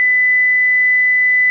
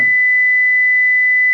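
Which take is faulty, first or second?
first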